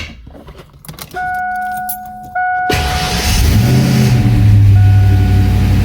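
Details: Fox Body Mustang with an upgraded high-torque mini starter: a steady starter whine keeps singing after the engine catches and lingers over the idle; starter hanging engaged, from a wrongly run jumper loop from the solenoid to the starter motor.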